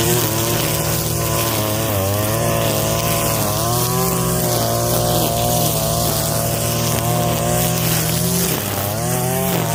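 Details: Husqvarna 322L two-stroke trimmer after carburetor rebuild from long storage, low/high screws 4.5 and 4 turns out: high buzzy steady run with slight wavering pitch, no sputter or bogging; runs fine.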